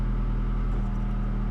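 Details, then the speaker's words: 2011-2016 Scion tC 2AR-FE after water pump replacement for bad pulley bearings, noise first suspected as input shaft bearing: smooth even low hum, no whine or chirp; normal idle. "wow I honestly thought I had the stupid input shaft bearing noise and it was the water pump all along"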